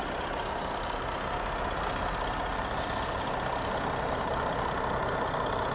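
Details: Audi A4 diesel with 360,000 km, engine running at idle during a dealer engine-sound check: steady, even diesel clatter with no knocks or misses. It sounds healthy and may be cold. Normal idle.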